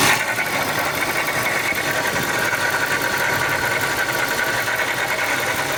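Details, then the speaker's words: Ford SVT Lightning V8 at idle with a Jokerz-rebuilt Eaton supercharger fitted last summer: harsh hissy whir with a faint steady whine; the noise developed over July to October and now sounds terrible, the supercharger is failing. "during that amount of time it developed a noise and now it sounds terrible"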